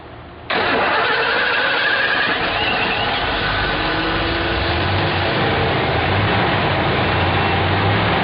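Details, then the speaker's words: 2006 Hyundai Sonata started while fuel pressure is watched on a gauge: it fires almost at once and holds a steady idle. Low fuel pressure is blamed for long cranking before starting after the car sits. "if you notice how it spins and Spins and Spins and Spins before it starts what you're looking at right there is the reason for that"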